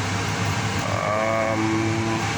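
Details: Payne furnace that had power but no flame, starting after sensor cleaning, a tightened loose connection and a test bypass of a popped fuse: steady motor hum with a whine rising then holding as the inducer spins up; normal start-up.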